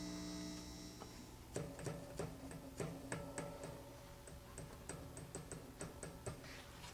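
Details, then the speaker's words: Hughes & Kettner TubeMeister 18 amp going into protect with an over-current LED, gain turned down and no output: irregular sharp ticks and pops with faint ringing over a quiet hum, coming from the tube itself. Bad, microphonic power tube. "I think that tube's bad you can hear the noise wonder if I crank down the gain will we still hear it"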